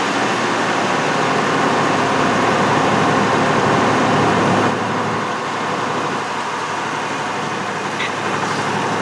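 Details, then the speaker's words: 2003 Ford F-150 with a 4.2L V6, first start after a new fuel pump fixed an intermittent crank-no-start: steady, even engine drone with no stumbling or misfire and no leaks; running normally. "okay it's running and we'll take a look there I don't see any leaks I think we're good I think we're good"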